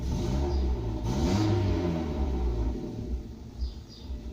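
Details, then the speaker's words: Petrol car idling unevenly, the low rumble rising and falling instead of holding steady; owner blames spark plugs last changed about 20,000–25,000 km ago and plans to replace them. Rough idle. "Evet arkadaşlar aracın rolantisini gördünüz rolenti de durmuyor çok Azcık bir sıkıntı var bunun sebebi ise bujiden kaynaklı arkadaşlar"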